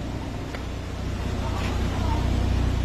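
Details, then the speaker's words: Mitsubishi Lancer automatic, 4G93 petrol engine, after new original Mitsubishi timing belt fitted, temperature normal: low, steady, even idle pulse with no ticking or slapping; engine running smoothly, normal idle. "Kaya Mitsubishi ako nakukuha, original. Ayun, maandar na."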